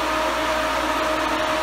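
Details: Twin electric cooling fans for 68-72 GM A-body, bench-wired through a dual relay, running at full speed (200-degree stage): loud steady rushing air with constant motor hum, no wobble or scraping; normal.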